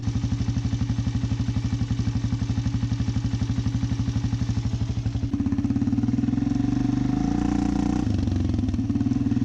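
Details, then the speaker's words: Rebuilt big-bore Arctic Cat DVX400 (LTZ440) single after a carb tune, weak battery: steady thumping about four beats a second that briefly stumbles mid-run; slight sputter, improved from earlier bad sputtering, cause unclear. "I wrote it earlier today and it ran pretty good it sputtered a little bit but it ran pretty good"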